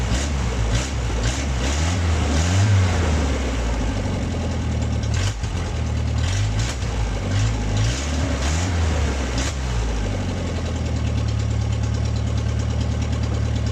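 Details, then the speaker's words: MG revived after 22 years with a new ignition switch, spark plug wires, starter relay and gas. Deep, steady low rumble at an even pace without stumbles or misses, settling into a smooth idle. "So the engine ran smoothly after that."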